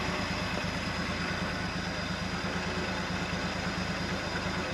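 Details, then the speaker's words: 1971 International Harvester 1110 pickup, AMC 232 six, 4-speed, idling after its first start on a rebuilt carburetor, with timing set and coolant added. Steady, even low idle with a smooth regular beat, no misses or knocks, no smoke; healthy. "that's pretty good doesn't even have a cloud of smoke out the bag"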